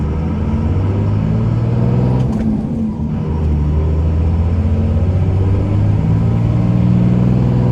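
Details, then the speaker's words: 2001 Dodge Ram 2500 4x4, 5.9 Cummins diesel, 81,000 miles, test drive uphill through the 6-speed manual: engine pulls up through the gears with brief clean breaks between shifts, no grinding or hesitation; gearbox shifts smoothly. "We're gonna head up the hill here and you can hear how smooth the 6-speed shifts. It doesn't grind or hesitate or anything."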